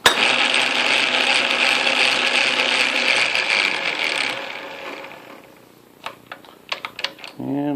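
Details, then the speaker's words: Atlas Craftsman lathe after new tumbler shim installed, running in reverse: busy whirring gear rumble with rough grumbly rhythm, then winds down; owner suspects too little play or gear lash. "still feels a little grumbly like I got something without enough play in it without enough lash that sound is right there"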